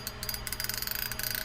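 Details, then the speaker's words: Abu Garcia Red Max 30 spinning reel after strip-down and service, drag loose: a rapid, even run of light ticks from the click rotor as line pulls off the spool, the drag clicker working normally, nothing rough or skipping. "and that noise it's making is when it's letting line out. So if you have your drag loose, sliding a fish, and you hear that noise, it means that the line is spooling out."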